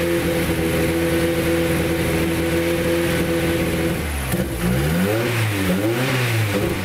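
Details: Ford Escort Cosworth race car after misfire fixed: strong even engine note, smooth revs up and down with throttle under boost, no stumbling; runs clean.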